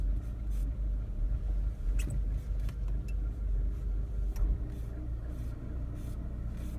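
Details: Mini R56 idling with a low rumble and an uneven, stumbling beat instead of a smooth hum: engine misfire at idle.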